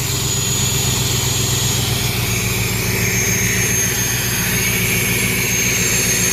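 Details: 302 V8 air compressor engine, switched back from an HEI to the old points distributor, now starts and no longer dies when the valve opens: steady, even drone with no misses or knocks; normal running.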